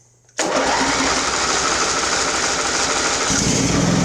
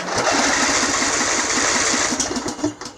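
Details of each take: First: Craftsman riding mower, Briggs engine, on full choke at half throttle: catches and runs rough with uneven firing, then loses pace; owner suspects it is sucking air at a loose fuel filter. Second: Craftsman riding mower, Briggs engine, booster pack hooked up directly after earlier starter problems: quick even cranking about four turns a second with crisp starter whir, strong healthy cranking.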